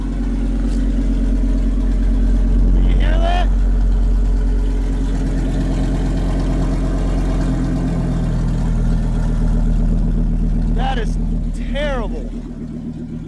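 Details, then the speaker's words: RV engine on a cold start with its catalytic converter stolen and cut out: deep, loud, raspy idle with a steady low drone and no muffling, sounding terrible. "golly that sounds terrible"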